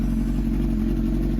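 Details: Crashed Honda CBR1000RR first start-up after Marvel Mystery Oil soak, coolant condition unknown so run kept short; smooth even note, no knocks or rattles, not knocking or leaking: healthy revving.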